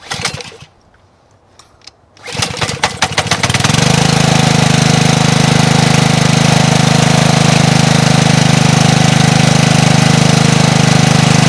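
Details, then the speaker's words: Honda GCV190 pressure washer that would not run for its previous owner. With the fuel line stopped, a few pull-start cranks get the single-cylinder engine to catch and run steadily on the fuel already in the cylinder. "I just want to see if it runs with that little bit of fuel that's in the cylinder now"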